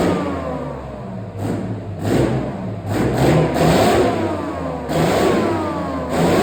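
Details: Replacement engine for a Chieftain tank, first test run out of the vehicle: deep note rises and falls with repeated throttle blips, picking up cleanly and returning smoothly; idles beautifully, healthy.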